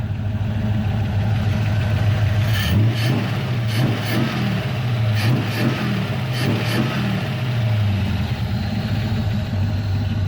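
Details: V8 on a lawn mower carburetor in a rusted car: deep, even burble with a few quick throttle blips dropping straight back to a steady smooth idle; engine dialed and healthy.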